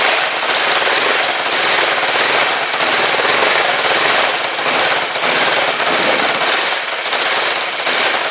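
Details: Rebuilt Kawasaki GPZ500S twin in a frame, about 130 psi, restarted on fuel left in the float bowls only: fast, even, crackling exhaust beat holding steady without misses or stumbles; running cleanly.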